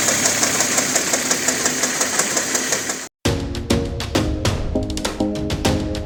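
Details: 1993 Porsche 968 3.0 L petrol, right-hand drive, idling: loud rapid metallic chatter from a worn balance shaft belt, then music.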